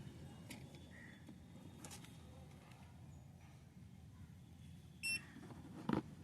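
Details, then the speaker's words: New digital multimeter running on 3 V from two 1.5 V cells, switched on with test probes fitted: one short high beep, then auto mode shows; normal power-on self-check. "On பண்ணும்போது அந்த ஒரு beep sound வருது, ஆட்டோன்னு சொல்லிட்டு வருது."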